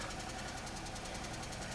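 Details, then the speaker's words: 2003 Pontiac Grand Am GT whose oil is contaminated by engine coolant and whose coolant is low: rapid, even ticking over the hum at idle, steady with speed. Upper end noise suspected, judged less severe than a rod knock. "That definitely sounds like upper end noise. I think that'd be a whole lot worse if it was a rod knock."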